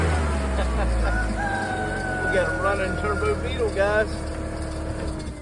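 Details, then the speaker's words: New VW Beetle turbo after installing a new crank sensor: engine catches and settles into a steady, even idle, roosters crowing nearby; starts and runs smoothly. "it's got some things we need to do to it but so now it runs so now now we know that we can move forward with doing some fun things"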